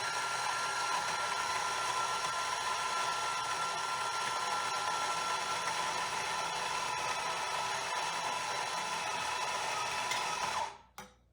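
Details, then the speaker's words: Coffee grinder grinding Mayorga Cafe Cubano organic dark-roast espresso beans for an 18 g dose: dense steady high whirring for about ten seconds, then stops; with the setting way too fine, the grinder labours hard and barely grinds anything out. "because you can kind of hear that the grinder is kind of working really hard and it's not grinding anything out"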